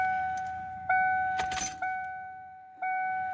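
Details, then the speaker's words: 1997 Mustang GT after installing a new Quantum 340 lph in-tank fuel pump: three short key-on cycles, each with a clean steady high hum that fades off, keys jingling; the new pump primes normally, one cycle sounding deeper. "here the pump kick on turn it off here it again turn it off turn it on now that one sounded deeper"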